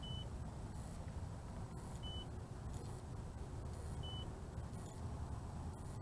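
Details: The BWINE F7 GB2 GPS drone (1806 brushless motors) hits its first-phase low-voltage warning and returns home. The remote gives single short high beeps about every two seconds over a wind-like hiss.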